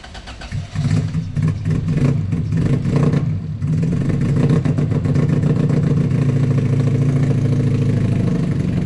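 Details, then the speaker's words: K24-powered car with large injectors on stock ECU: engine catches and settles into uneven, lumpy putter with irregular chop like a motorcycle; rough idle, possible misfire, injectors to be swapped to stock to rule out. "the misfire sound or whatever this choppiness that it has. It sounds like a motorcycle to be honest with you guys."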